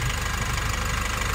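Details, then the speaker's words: Nissan NV350 diesel at idle after replacing the injector washers and one fuel injector: a steady, even low clatter with no misfire or shake. The earlier knocking and strong vibration are gone, no check engine light, and the engine runs normally. "ngayon wala na siya mga boss alr so na-solve na natin yung problema ng NV350"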